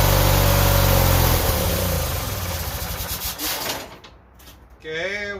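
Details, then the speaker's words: Yardman 13785L riding tractor at about 42°F, running only on choke, chugs for a second, sags and stalls; owner suspects it ran out of gas or has bad gas. "we die i didn't kill it that's only running on choke so my bet would be we probably ran out of gas or we got bad gas in it one or the other"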